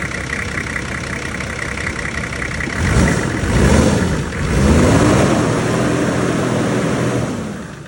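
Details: Nissan GQ Patrol TD42 diesel, first start after full engine rebuild (previously smoked badly): even diesel clatter at idle with a couple of smooth throttle blips, settling back without misses or knocks; running healthy.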